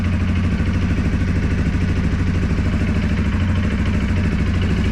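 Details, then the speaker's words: 2023 Segway Snarler AT 5L ATV just started, compared with a 2023 CFMoto X5 520 L: even, steady thrum with an unchanging rhythm and no knocks or stumbles; normal idle. "okay let's start the seg way sound absolutely the same this sound a b louder I don't know what hard to say but the beating on this one is not as loud as that one"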